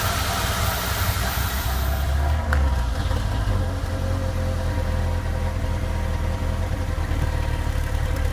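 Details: 1996 MGF 1.8 MPI petrol engine with a rough, lumpy, uneven idle. Not cured by intake gasket, IACV, rotor, cap and HT leads; cause was a vacuum pipe disconnected from the ECU, and plugging it back in fixed it.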